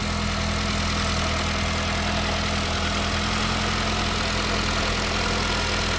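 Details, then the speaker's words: After fuel injector replacement with OEM Keihin injectors on a 10th/11th gen Honda Civic 2.0L N/A, engine idles steadily with normal fast injector clicking; test drive fine, issue fixed. "You can hear all the injectors clicking too. That's a successful job if you ask me."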